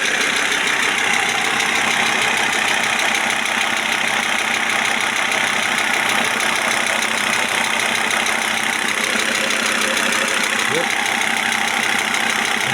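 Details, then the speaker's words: Audi A6 C4 2.5 TDI turbo diesel, warm at about 50°C: light quick ticking at idle that comes and goes, near the injection pump or injectors, cause unclear; turbo worn and smoking; intermittent ticking at idle. "здесь вот непонятно или насосе вот цок у неё есть какой-то цок цок цок цок цок"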